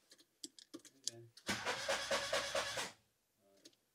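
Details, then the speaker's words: VW Mk2 Golf GTI 16v, home-rebuilt engine being turned on the ignition for the first time, clutch pedal not returning: a few clicks, then an even starter whirr with steady compression pulses; the engine turns over freely. "the clutch isn't returning that's not a good sign turns over that's good"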